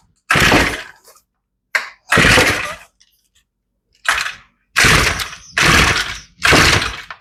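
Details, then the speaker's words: Older, long-sitting Shindaiwa two-stroke trimmer, fuel lines pumping fine, primed and choked, possibly with a new spark plug: quick pull-start rasps with a hint of firing but no start. Carburetor rebuild planned. "well we almost got a kick on it oh so she's close but she's not running"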